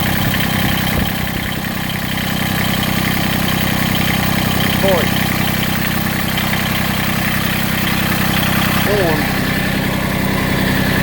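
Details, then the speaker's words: Massey Ferguson GC1710 sub-compact tractor diesel at low idle with an uneven, lumpy beat of about 3.5 pulses a second, vibration and roughly half its power lost; owner suspects a cylinder misfiring or not firing. "and if you listen you can hear it and it's I mean it's more than that I mean my power has been cut almost in half it feels like"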